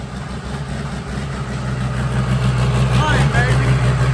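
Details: Freshly built diesel mud truck on its first startup, turning the wheels and moving for the first time: deep, steady rumble growing louder as load comes on, no knocks or misses; normal running.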